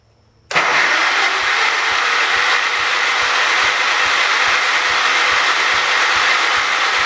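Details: John Deere 212 donor tractor, fuel that may hold water: steady cranking about four beats a second under a loud hiss, never catching. Cause suspected, not confirmed; fuel and carburetor checked next.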